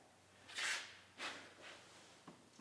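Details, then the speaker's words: Farmall Super H tractor restoration: a bearing spun by hand before being pressed onto a shaft gives two short, dry hissing rasps because it is dry; adding gear oil made the noise go away. "So what I'm going to do before I put this bearing on here is I'm going to take my gear lube and I'm going to dump some down here because you can hear this bearing is dry."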